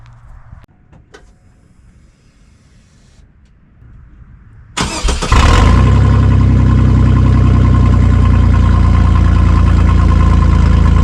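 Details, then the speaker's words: Chevy S10 started early in the morning with the exhaust cut after the Y-pipe and catalytic converter, leaving a section missing before the muffler, prior to shop welding: it catches into a loud, deep, blatty idle rumble. An intentional exhaust leak. "And uh, right now it is really loud because it literally only has the Ypipe and cat and then after that it's just cut."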